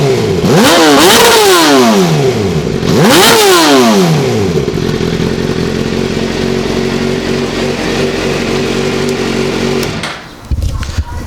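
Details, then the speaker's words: Suzuki GSXR motorcycle just after start-up: two crisp throttle blips then a steady, even idle with no knocks; engine running great. "overall the bikes running great everything is good"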